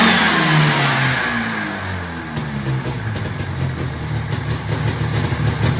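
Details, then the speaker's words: 1980s fan-cooled Yamaha race sled two-stroke with top-mounted fan, fitted with a 41 mm slide carb, after replacing shot fan bearings and retensioning a loose fan belt; recorded without mics; crisp, smooth revving, even firing, no misses or rattles; healthy engine. "sounds healthy to me plenty of icy cold air coming from that fan too"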